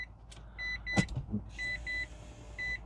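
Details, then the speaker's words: 2012 Mitsubishi i-MiEV with 47,000 miles, flat 12-volt battery, on a jump box: paired high chimes about once a second, car quiet and not moving, fuel gauge empty and flashing; fault warnings, car probably won't drive. "jump box is connected and I hear beeping noises from the car"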